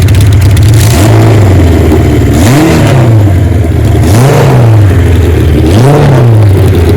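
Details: 1977 Kawasaki KZ1000 sidecar racer, started to test the transmission: inline-four revs up and drops back in three smooth, clean blips over a steady idle, no knocks or misses and no smoke while warming up; normal running.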